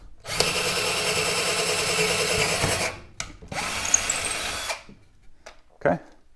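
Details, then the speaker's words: Black and Decker LDX120 drill on its drill setting: a steady high motor whine holds speed through two drilling bursts without stalling or clicking as it drills through; cuts normally. "so it actually drills pretty nice"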